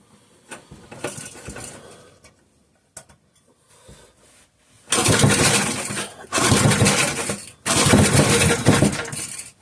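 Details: 3hp Briggs and Stratton horizontal-shaft engine, started on choke with new fuel and fuel treatment, no fuel put in the cylinder (carburetor diaphragm possibly needed): runs strong in loud bursts with brief dips between. Already a runner.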